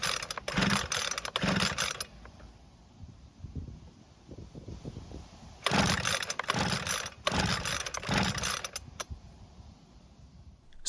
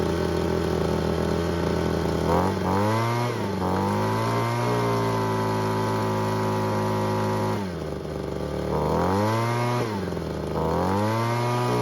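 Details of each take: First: Ryobi leaf blower after its reversed fuel lines were swapped and air purged: several quick ratcheting rope-pull bursts with no firing at all. No-start later traced to no spark. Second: Ryobi two-stroke leaf blower that wouldn't start, after ignition coil replacement, refuelled and purged, choke not fully off: fires up promptly, runs strongly, pitch swinging smoothly with throttle blips; normal start and run.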